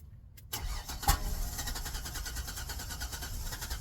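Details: Ford Sport Trac, crank no start after the battery went completely dead and was recharged; scan shows P1000. Steady rhythmic cranking for several seconds without catching or speeding up.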